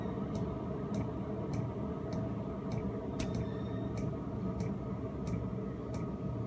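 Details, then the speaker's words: Cheap eBay 12V 5kW diesel air heater on a bench test, just under a minute on the low setting, current dropping to about 0.6 A: crisp, evenly spaced ticks about every 0.6 seconds over a soft fan hum; fairly quiet, normal dosing pump ticking. "okay guys that's it I'm just bet on it they're just under a minute on the low setting"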